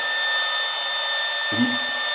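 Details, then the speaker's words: Modified sine wave inverter running from a 12 V car battery, converting 12 V DC to 120 V AC with no load; steady high whistle over radio hiss from electromagnetic interference. "that whistling you can hear is the radio so we have electromagnetic interference on the radio with no load"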